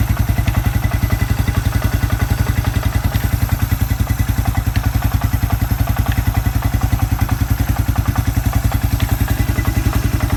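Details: Suzuki Quad Runner 250 under restoration, exhaust system refitted and crank seal replaced with a TC oil seal: even single-cylinder thump at steady idle, about three and a half beats a second, no misses or rattles; exhaust back to spec.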